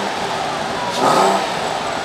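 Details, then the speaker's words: Porsche 986 Boxster S with newly fitted vacuum-operated exhaust bypass valve set, valves switched closed by fob: quick throttle blip rises and falls smoothly with a muted exhaust note; valves closing correctly. "so if we hit the off button the valves should close there we go you can hear that they close now give it a REV"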